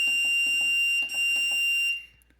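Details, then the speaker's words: Keypad, loud shrill steady beep of about two seconds as the number buttons are pressed, then silence; normal keypad beep. "does have this really loud beep when you press these numbers though I wanted to show you"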